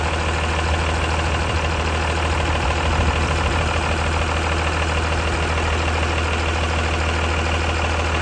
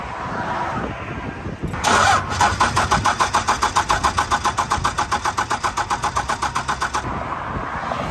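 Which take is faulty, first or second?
second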